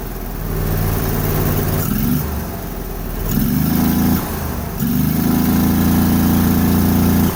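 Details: Vanguard engine converted to propane, carburetor already tuned for an 18 hp engine, still warm from a prior run: even, steady beat that picks up cleanly on a couple of revs and settles back; normal running.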